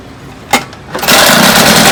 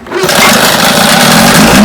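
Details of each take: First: Vintage Johnson outboard misfiring at high speed, with a new tune-up kit and a freshly changed condenser. It runs with an uneven, stumbling beat, about 105 stumbles a minute, because the top cylinder is still missing. Owner suspects the new points. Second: Vintage Johnson outboard that misfired at high speed, after the pitted new points were replaced. A loud, steady two-stroke buzz at one even pitch with no drop-outs; runs easy and clean, confirming the points were the trouble.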